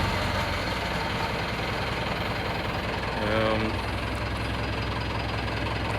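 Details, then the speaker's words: Chevy K30 squarebody crew cab with a swapped 4BT Cummins diesel and NV4500 five-speed, after a 20-mile test drive: even diesel clatter at a steady idle with no uneven knocks or hunting; quiet, healthy idle. "I'll start it up you'll hear I mean it's super quiet"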